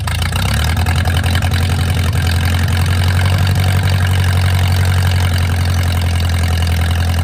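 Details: Mercruiser 470 3.7L marine engine, first run in 16 years after fuel reached the carburetor; brief catch then low steady rumble settling to even idle, no knocks or misses. Automatic choke not working properly, owner suspects his wiring. Normal idle.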